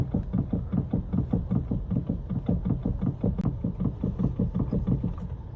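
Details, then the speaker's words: BMW X3 steering rack: steady low knocking two to three times a second as the wheel is rocked left and right, also clatters over bumpy roads; play in the rack, repaired rather than replaced, silent afterwards. "宝马叉3打方向，咯噜咯噜的响，走颠路，咔啦咔啦的响。"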